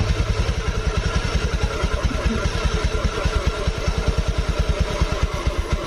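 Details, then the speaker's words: 2017 Honda Beat Eco scooter, arrived dead, now running while the idle air screw is set by feel (about two and a half to three and a half turns): quick, slightly uneven single-cylinder thumps wandering in strength; idle not yet settled. "kalau misalkan di bagian dalam sini ini kan tidak terlihat nih berapa putaran-butiran bisa dirasakan aja dari bantingan mesinnya"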